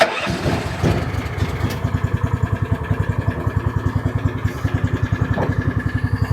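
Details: Honda-engined side-by-side ATV, previously running rough, after motor work and reconnecting a wiring lug: catches right away and settles to an even putter of about three and a half beats a second; healthy idle, though it won't start in gear.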